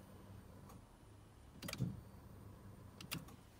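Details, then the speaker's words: Salvage Corsa E from Copart being rebuilt, ignition keyed on and off with a nearly full tank to prime fuel before a start attempt: faint steady fuel pump hum between key and relay clicks; normal priming. "If you hear this now, you can hear the actual kind of vibration of the fuel pump."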